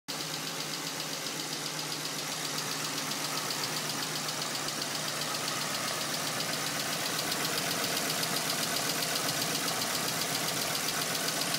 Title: sr20det silvia s15 ticking noise